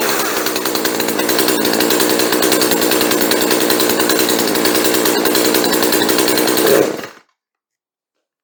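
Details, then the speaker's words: Chainsaw after fuel line replacement, started on full choke: crisp two-stroke buzz at steady even beat of roughly three and a half pulses a second; runs clean, idle slightly high and to be turned down. "that sounded pretty good so we're going to turn the idle down just a touch but other than that we're done she sounds okay"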